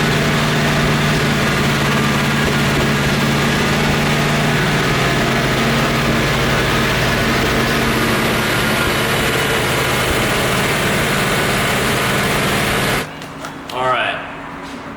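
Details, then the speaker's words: Chevrolet Corvette C4 at idle: an uneven, lumpy idle with a recurring stumble about every beat and a half. Misfire suspected in cylinder one, since unplugging its injector changes little; the plan is to swap injectors one and three. "I know for sure that that number one cylinder is is causing the misfire because it doesn't really change once I unplugged that that injector"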